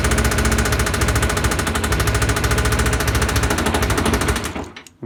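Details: Kawasaki ZZR250 running after failing to reach home at the end of the 2018 season: a loud, rapid metallic knock at about three per second until shutoff; an engine knock of unconfirmed cause.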